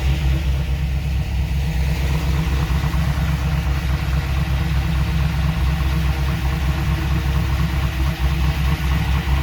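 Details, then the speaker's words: 2002 Trans Am on first start after installing a Tick Performance Street Heat stage 2 cam, long-tube headers and off-road Y-pipe: heavy, lumpy V8 idle with uneven beat and busy clatter; lifters not yet pumped up and sounding bad. "lifters need to pump up it's running but it's running like crap these lifters sound bad"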